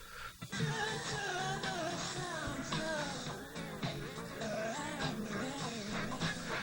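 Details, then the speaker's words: Craig 8-track player with a Donna Summer cartridge whose pinch roller sits more recessed from age and shrinkage and is not meeting the capstan: pitch wavers as the tape speeds up, slows and drags, a tape speed fluctuation (wow). "okay you can hear that it's speeding up and slowing down dragging and everything else that's bad uh so now uh the reason that's happening is because of the uh the fact that the roller is more recessed than on the other tapes due to age and shrinkage"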